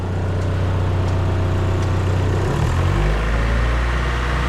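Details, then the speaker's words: Mazda MX3 after repair: steady low idle dipping and settling when shifted into drive, no whine and no slapping from the mounts; normal idle. "Okay. So far, no weird noises."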